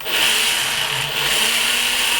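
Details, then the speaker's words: W609-10 six-motor hexacopter drone, box arrived damaged: one propeller motor gives a thin steady high whine that never winds up, not spinning fast enough so flying must compensate; weak motor, cause suspected, not confirmed. "but the problem is it doesn't spin fast enough, so when I fly it, I have to compensate for that weak motor."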